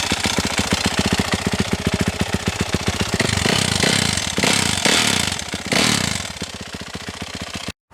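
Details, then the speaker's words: 2021 Yamaha YZ450F, fuel injected, low hours, no metal in the drained oil: fast, sharp top-end ticking in time with the engine, busier when blipped; owner thinks it is not the valves and suspects the timing chain or crankshaft. "that doesn't sound like the valves to me sounds like either the timing chain or the crank i hope it's the timing chain but i don't know"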